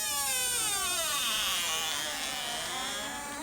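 A long, shrill, wavering squeak that slides down in pitch, then rises, as a door swings on a dry hinge.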